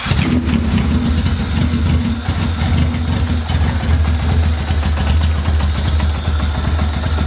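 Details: Honda B18B engine starting and idling with an uneven, stumbling beat and irregular exhaust-pulse dips; still misfiring, owner suspects the injectors, cause not confirmed.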